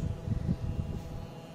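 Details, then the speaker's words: Induction motor fan running on a homemade 12V DC to 220V AC inverter without an IC, fan speed a little low; low steady transformer hum with soft uneven thumping from the fan; normal running. "you see you can hear the humming sound from the transformer that is for sure"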